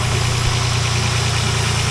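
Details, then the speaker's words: 2007 Dodge Nitro idling after idler pulley replacement: steady, even low rumble with no squeak or chirp from the belt drive, running smooth. "all right guys we got it no more squeaking noise"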